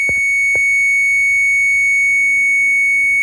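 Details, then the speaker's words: 1966-70 Mopar Chrysler B-body instrument voltage limiter tested on the 5-volt gauge side: steady tester tone with pulses as the limiter cycles, so the limiter is working properly. "That's working. That means that one works. So that is working properly."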